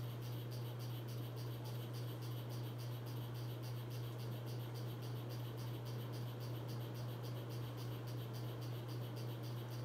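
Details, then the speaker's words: 42-inch white Hampton Bay Landmark III Plus ceiling fan, installed in 2011 in a guest-house laundry room, on high, its loudest speed: a steady low hum with a faint, regular tick about twice a second; it wobbles slightly and runs loud. "it's also starting to wobble very very very slightly you guys probably can't see that on camera though all right here goes hi this is both it's wobbly and it's loud of speed"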